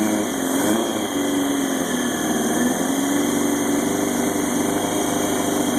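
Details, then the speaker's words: 2000 Yamaha YZF-R1 first run after engine rebuild: uneven lumpy idle with cylinder one not firing at all (suspected no spark), plus a steady high-pitched screeching squeal of unknown source. "yep cylinder one is not firing at all so I think I'll diagnose that first get that working"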